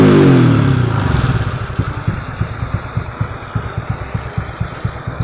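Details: Honda Wave 125i on E20 fuel with PCX150 injector fitted, being fixed for rich-fuel stumble when throttled; blips up then settles into an even idle, steady low thumps about three per second, clean with no stumble.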